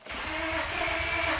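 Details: 1999 Honda Accord V6, almost 280,000 miles, disabled two weeks, owner suspects immobilizer as green key light doesn't illuminate: starter spins the engine steadily with quick compression pulses but it never fires; crank no start.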